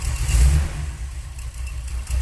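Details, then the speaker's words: Freshly rebuilt Holley 4150 double pumper carburetor being tuned on a car with automatic and 3500 rpm stall converter, plugs fouled from sitting, possible miss: deep, slow, lumpy rumble barely hanging on as idle is turned down below 800 rpm; idle speed too low. "as low as it'll go. I'm going to go a little higher than that. That's too low."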